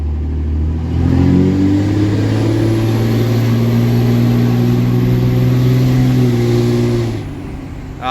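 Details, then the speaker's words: Diesel truck with freshly installed 48RE transmission, boost builds to about 32 PSI then drops away with a sudden loud whoosh; it repeats as at 30-some PSI, so a boost leak rather than the wastegate. "it still does the same thing it did at 30 some PSI so it's definitely a boost leak not the waist gate"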